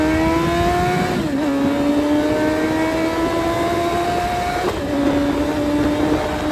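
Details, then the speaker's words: Suzuki Hayabusa with fully built motor and aggressive cams, after cleaning clogged fuel filter: engine climbs and falls smoothly through revs, clean steady tone, no stumble or misfire, now revs all the way through; normal revving. "All right. So, as you saw in the video, now she revs all the way through."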